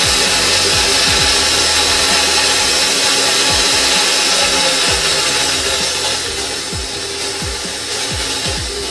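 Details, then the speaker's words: Restored vintage KitchenAid Model 4 three-speed mixer after reassembly: smooth motor whir with light gear chatter stepping from low up through its speeds, no grinding or knocking; runs healthy. "Alright, so it runs good, speeds sound good, gears sound good, everything sounds good with it,"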